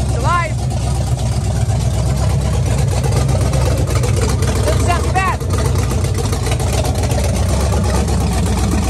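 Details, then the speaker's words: 1965 Fastback after sitting for years, started up, pressure 60: low steady idle with an even beat and no knocks or ticks, unexpectedly running well; normal idle. "Oh, yeah. There you go. Nice. Good job, buddy. I didn't expect it to run."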